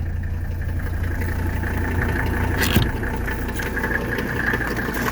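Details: 1985 Mercedes 300D (W123) five-cylinder diesel just after a cold start following a night in the garage, hood open: steady, even clatter at cold idle, no missing beats or odd knocks. Normal diesel idle.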